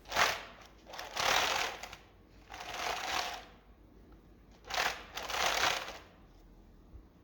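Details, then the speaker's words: Small omni wheels on a VR motorized shoe platform, rolled on a rubber mat: uneven clattery bursts about once a second; the three black perimeter rollers are spaced too far apart, so the next roller doesn't touch down before the last lifts, causing bumping. "problem is that the rollers, the 3 black wheels along the perimeter of the omni-wheel, they're spaced too far apart."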